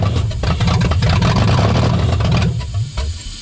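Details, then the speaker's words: 1996 Toyota 4Runner bought not running, owner suspects a bad starter relay, started with starting fluid; uneven low lumpy rumble that settles after a few seconds, the engine has caught and runs. "It runs! We did it."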